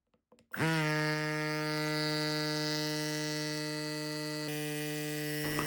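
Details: Electric cycling mini pump opened up, brushless motor driving crankshaft, conrod and piston in a bore, run with casing off: abrupt start into a fast, steady buzzing hum from motor and piston, even throughout with no knocking; pump runs hot; normal motor run.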